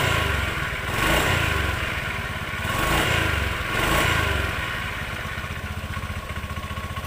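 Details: Honda Beat injection 2014 scooter idling with a very rough, rattly whirring from the CVT belt-drive side; the noise persists when the engine is off and the drive is turned by hand. The CVT bearing was found loose and must be replaced.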